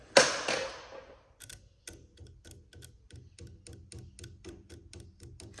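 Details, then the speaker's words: 1989 Land Rover Discovery V8 power window motor: one thump, then faint clicking about twice a second with no spin-up as the motor strains; still stuck after reversing it and a whack, seized, cause unclear. "No, you can hear it trying to move, so sometimes just give them a bit of a fucking whack or something. See if that makes any difference to it at all. No. Not sure what's going on there then."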